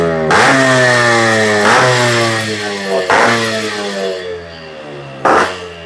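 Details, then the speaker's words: Used 1996 Yamaha RX100 two-stroke with chamber (expansion) silencer, sold as good engine with working oil pump: crisp blips climbing and falling quickly back to steady idle, clean pickup, no misfire; healthy engine. "Silencer modified ಅಲ್ಲ ಇದು? Yes okay, ಯಾವ silencer sir ಅದು? Chamber, that one chamber."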